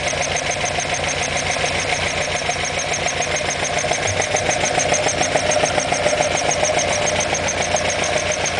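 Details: Alfa Romeo Alfetta GTV 2.0L ticking over: steady light tapping about two per second over bright mechanical clatter; engine noise, source unconfirmed.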